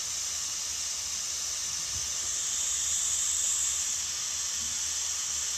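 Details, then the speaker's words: DIY corona/DBD plasma reactor, pointed screw electrode over a flat copper PCB, switched on. Steady high-pitched hiss with almost no low end, coming from the plasma, not a fan: normal corona discharge. "Jadi suaranya itu akan terdengar seperti desisan ya, atau melengking seperti itu ya. Ini akan kita coba nyalakan sebentar ya, plasma DBD-nya, plasma coronanya ya. Kita nyalakan ya, bunyinya seperti itu ya. Itu bukan bunyi kipas ya, itu bunyi plasmanya ya."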